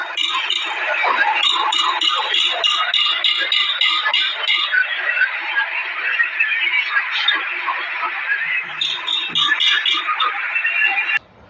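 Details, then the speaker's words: MG Hector flywheel removed from the gearbox after a tick-tick noise while driving on the road: quick, uneven metallic clinking, roughly three a second, as it is worked; metal inside is cut and worn, so the flywheel will be replaced. "यह आवाज इस तरीके की होती नहीं है य इसमें आवाज मतलब मेटल कट गया अंदर का और इसलिए ऐसी आवाज हो गई"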